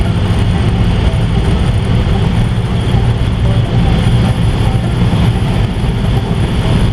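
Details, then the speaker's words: 1955 Ford V8 cruiser driving after an exhaust leak fix. Deep even rumble while cruising, with no puffing, ticking or raspy leak at the manifold; now quiet, a normal exhaust note. "it's nice and quiet now"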